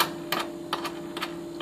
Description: LG refrigerator sometimes was extra loud and buzzing/rattling. It was simply a vibrating retainer clip on one of the compressor mount posts.